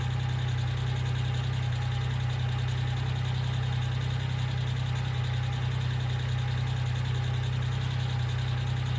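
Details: 1995 Geo Metro at idle: a faint, even, light ticking at about two to three per second rides over a steady low idle, heard as lifter tick; B-12 fuel injection cleaner added to the engine oil before an oil change.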